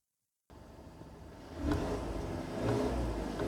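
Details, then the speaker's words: Skoda Octavia Mk2 revved after hitting a rock and denting the exhaust, checking for leaks: blips from idle to steady higher revs, even smooth exhaust note, no puffing or ticking; exhaust sealed, no leak. "Sounds okay so far. Let's try not to breathe that in. Hold your breath. Yep, I think that's absolutely fine."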